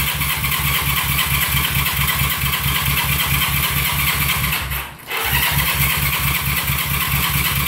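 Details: 1971 CB350 cranking on the starter: steady rhythmic chugging, a brief pause, then more cranking. It never catches.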